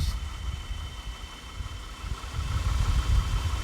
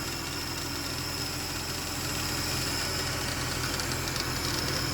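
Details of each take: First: 2010 Ford BF Falcon wagon idling after replacing the water pump. It was clanky at first, then settled. Low steady even idle with no whine, squeal or knock. Mystery noise fixed. Normal idle. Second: 2010 Ford BF Falcon wagon restarted after replacing the water pump and thermostat and topping up coolant. Steady idle with a faint loose clatter about three per second, seemed to settle. Clanky engine noise.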